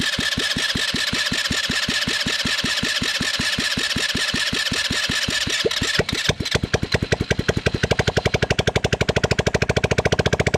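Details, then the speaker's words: Neglected Chinese Bashan 200cc ATV running after a no-spark fix, exhaust pipe off: sharp, raw cracking pulses on every firing stroke that quicken when revved; runs fine, just unmuffled. "Om avgasrör sitter på plats så låter den inte sådär."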